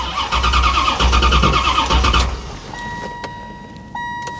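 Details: Salvage-auction C4 Corvette suspected to have been sabotaged: starter churns the engine at a steady rhythm for about two seconds with no firing, then stops; fuel pump heard afterward; cranks but won't start, cause unknown.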